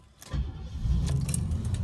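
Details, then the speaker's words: 1989 Cadillac DeVille 4.5L after ECM replacement, with a new intake manifold gasket and new ignition parts: the starter turns briefly, the engine catches at once and settles into a steady, stable idle; a normal easy start. "That's how your car should start and sound very easily, especially with no other problems, and it's properly tuned, which we just did the intake manifold, gasket, as well as all the electrical ignition parts."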